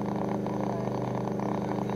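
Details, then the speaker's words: Belkin powerline network adapter plugged in: fast, steady buzzy popping with a constant hum swamps the BBC World Service on a shortwave radio, still heard after the file transfer stopped. Powerline adapter interference. "and you can hear the world service struggling to get through the popping from the belkin that is plugged in at the moment"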